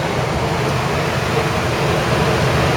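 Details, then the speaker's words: 13,500 BTU RV rooftop air conditioner on high cool, powered by a Champion inverter generator in standard mode: loud constant blower roar over smooth low drone, no knocks or squeals; started fine, cold air coming out. "Yep, definitely cold air coming out of there. So we definitely started it up. It's running."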